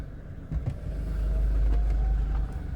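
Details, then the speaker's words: 2003 Audi A4 with no transmission fault codes: low idle hum, then dull thuds (golpeteo) when shifted to reverse, brake released and moving off with extra throttle; clunk from the transmission. "escucharon el golpeteo que tiene la transmisión"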